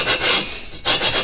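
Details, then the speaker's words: Lapping a cylinder into its head bore on a VW horizontally-opposed engine with water-based lapping compound, pushed down and turned by hand; gritty scratching strokes about five per second, still rough, cylinder not yet mated to the head shoulders. "what's happening is we're making sure that it's essentially mated with the shoulders and then it also helps to deck the top of the cylinder jug"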